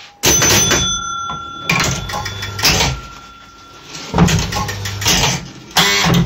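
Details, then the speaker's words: Gottlieb Spin A Card pinball machine during repair: after 500 points and top bumper, relay clatter and motor chatter keep repeating where game over should occur; game fails to end, traced to a bent motor switch barely making contact. "So we expect the machine to game over. So let's roll down 500 points. We'll hit the top bumper. We'll turn that off so we haven't got a special down the guts. Let's have a look. And now what we are expecting is game over. But it's not game overing."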